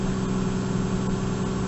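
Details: 1998 Lexus GS300 idling after fuel pump replacement and priming: steady, smooth low hum with an even note, no misses or ticks; engine idles cleanly.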